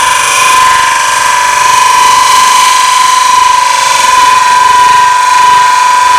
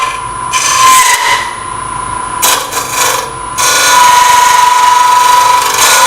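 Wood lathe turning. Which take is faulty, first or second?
second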